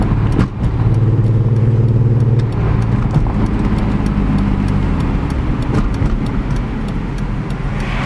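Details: BMW E46 M3 inline-six at idle with an uneven, loping beat and stumbling pulses instead of a smooth hum; misfires on all 6 cylinders diagnosed as caused by pre-cat O2 sensors swapped into the wrong banks.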